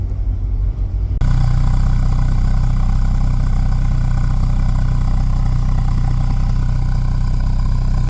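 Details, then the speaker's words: 1981 Volvo 245DL, 168,000 km, apparently original engine, restored after 12 years off road and 7 not running, new fuel tank and rebuilt brakes; engine catches and settles into smooth, even, steady run; normal running. "12 years, 7 years not running. And she's she runs great."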